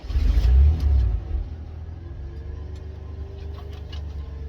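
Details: 1991 Ford F-150, restart after first getting it running with starting fluid and adding antifreeze; quick rev right after start, then drops to smooth quiet idle with no stumbles, "runs like a dream".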